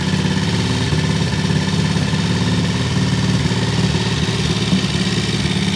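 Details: Vintage British T20M single at a deliberately high idle, set high for its "EP system": steady, regular thumping with no misses or mechanical clatter; normal fast idle.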